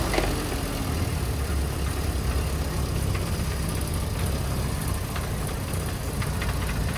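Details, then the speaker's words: Small four-cylinder on a carburettor tuning demo, just restarted after a needle change. Revs feel sharp, but the idle has a heavy, slightly lumpy, uneven beat. The mixture is too rich. "Right, we'll start it up. Feels quite sharp, which is good. Too rich."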